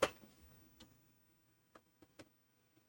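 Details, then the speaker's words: TRS-80 Model 4P at power-on after installing a FreHD hard drive emulator, case closed: a few quiet, scattered ticks and clicks as the floppy drive head seeks before booting from the hard drive into LDOS; normal seek. "see, that's searching on the floppy drive, but that went to the hard drive."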